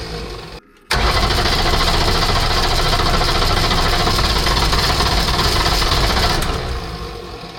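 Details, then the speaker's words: Mercedes OM617.912 diesel in a Unimog 404, just rebuilt with rebuilt fuel pump, weak batteries on charger: even starter cranking at about four compression beats a second, fading without catching; cranks but won't start. "that sounded that it is going to do something. So let's pump some more diesel."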